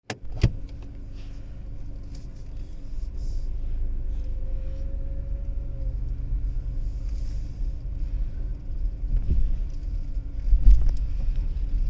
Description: Skoda Kushaq making rattling noise while parking